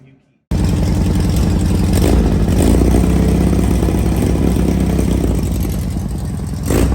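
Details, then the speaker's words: Air-cooled engine in Class 11 race bug, first start right after installation; crisp even throttle blips rising and falling cleanly, no knocks or misses; healthy, strong-running, normal revving. "All right. It's 2 o'clock in the morning. We finally got it on. Sounds good."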